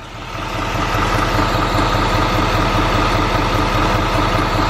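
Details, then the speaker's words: Duramax diesel truck with Allison 10-speed at idle: steady idle with a light, fast ticking running through it, the familiar Duramax tick; source not pinned down; ticking at idle. "you guys can hear that it's like going back and forth tick tick tick tick tick it's got a weird ticking the famous der max tick"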